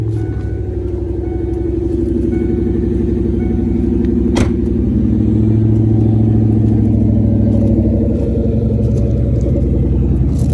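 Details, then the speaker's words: 1996 Ford Mustang GT convertible V8 in neutral with parking brake set, after earlier starting hiccups: deep, steady burbling exhaust pulse at idle, even rhythm, no knocks or ticks; healthy V8 idle. "Hear that exhaust note. Tell you what, this thing sounds good when you get her out."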